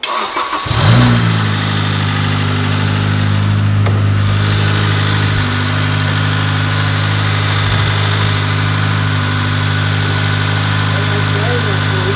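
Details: Honda Accord, 9th generation, warm idle during a coolant drain and refill with the thermostat open: smooth, even low hum with no knocks, ticks or misses; engine healthy.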